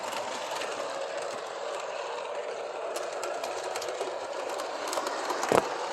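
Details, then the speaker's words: Transformer-controlled model steam locomotive, owner-customized with tender and cab lights; small electric motor whirs with uneven clicking and rattling as it rolls, running a little rough but still running. "It's transformer controlled. It runs a little rough, but it still runs."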